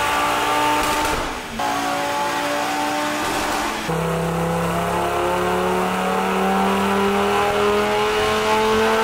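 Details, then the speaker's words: 2019 Audi RS3 five-cylinder turbo with GPF, stage 2 tune with downpipe on the stock turbo after overboost, torque limited to 750 Nm for stock internals: clean rising full-throttle howl, no rattle, final result 518 bhp and 740 Nm. "that's how it should sound in it final results guys 518 brake horsepower 740 newton meters of dock"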